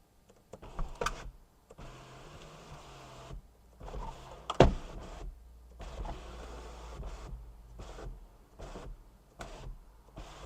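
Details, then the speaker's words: BMW E46 330i sunroof, key on, button held up 15–20 seconds for a reset: short bursts of motor whirr broken by clicks and pauses. It tries but never completes its travel; the recalibration did not work. "I hear it trying to do something but it won't do it"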